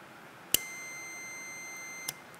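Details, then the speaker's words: 2021 Ford Mustang Mach-E GT high-voltage battery contactor energized with 12 V: a sharp click, then a steady continuity-meter tone for about 1.5 seconds. The contactor has pulled in and its contacts are closed and conducting. "prenons le notre testeur de continuité ici notre compteur et maintenant que j'allume le contacteur et il clique nous allons nous attendre à ce que notre partie testeur de continuité du compteur émette le bip"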